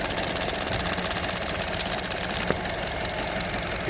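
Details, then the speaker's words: Vauxhall A14NET after head gasket replacement, idling: fast light ticking about three per second over smooth idle, felt at the engine; purge valve stuck open suspected. "Uh the other problem is uh this ticking sound in the engine here. So I can feel it ticking away in there."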